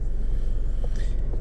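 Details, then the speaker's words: 2012 Nissan Rogue in gear, after induction service, throttle body and MAF cleaning: low, even idle rumble with A/C on, no surging or shaking; drastic improvement over previous A/C-engagement shake. "I'm noticing a great improvement drastic improvement actually"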